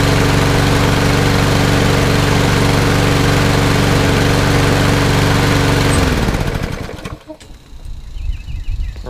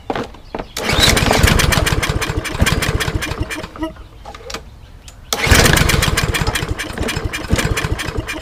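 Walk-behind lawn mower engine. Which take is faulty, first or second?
second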